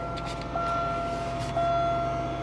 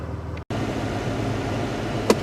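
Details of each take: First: 1998 Buick Park Avenue cold start after sitting a long time on a weak, briefly charged battery, recorded from inside the cabin: smooth idle, compressor audible at the rear, and a faint high whine from under the hood, source unknown. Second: 1998 Buick Park Avenue after long sit, battery flat and jump-charged, winter: steady, even low rumble with no knocks, misses or squeals; idles smoothly.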